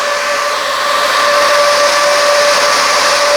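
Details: Brushless Proform 12-inch electric radiator fan at 13.85 V, about 12 amps, during CFM test: steady rush of air with even constant tone near 600 Hz, no rubbing or ticking; normal fan run.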